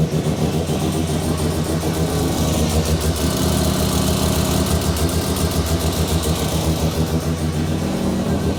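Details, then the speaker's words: New Mazda 13B bridgeport rotary just after its first start, cooling system being bled and temperature watched: brief throttle blips settle into a busy but even idle, no misfires or knocks; normal idle. "yeah we're just keeping an eye on the temperature we need to bleed the system um and yeah we'll go from there sounds so good"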